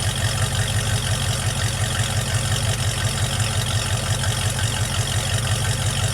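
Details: Project truck warm start after a vacuum leak fix, now running better: the warm engine idles smoothly with a steady low rumble and an even pulse.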